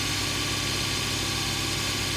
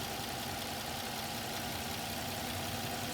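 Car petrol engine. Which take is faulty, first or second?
second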